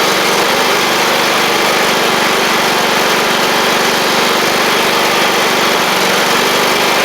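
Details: John Deere L110 riding mower engine, after fitting a fuel pump to cure flooding, gives a steady, even drone without sputtering or dropouts; the fuel pump was the issue.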